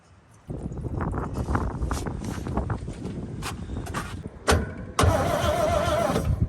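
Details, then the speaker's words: Abandoned 1962 International Harvester B-series farm truck, long-sitting, gas poured down the carburetor throat: uneven starter cranking with a few brief sputters that almost catch, then die; cranks but won't keep running. Tank fuel not priming through; cause suspected, not confirmed. "but uh still it should it should be dirty from sitting so long to say for sure but no fires oh yeah it sounded like it wanted to catch there a couple times"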